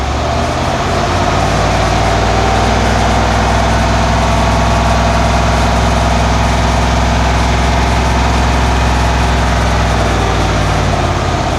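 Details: 1991 Cadillac Brougham after exhaust replacement from catalytic converter back with new resonator and Walker Quiet-Flow SS stainless muffler, fixing a drone at about 59 mph; off idle the V8 gives a deep, even rumble with no pulsing beats, smooth and healthy.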